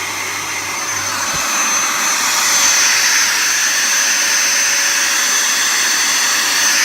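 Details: Henry vacuum cleaner switched on after a repair and reassembly: a smooth, steady high whoosh from the motor at even pitch with no rattle or scraping, judged to sound pretty decent and running properly.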